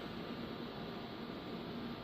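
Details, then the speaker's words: Gatekeeper-built GK800 LD staged 2x8 car audio amplifier with HG 04-4 2879 transistors, 2-pill section switched on: cooling fan starts, soft even airflow hiss with faint steady hum, no ticking or rubbing; normal. "So basically, I'm going to turn the 2-pill section on now. And as you see, this fan over here turns on."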